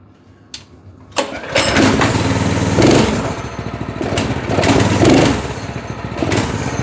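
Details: Single-cylinder go-kart engine at idle, tested while sorting a linkage that wasn't springing back. It catches after a short crank and settles into a steady, even beat of about four firings a second, running clean.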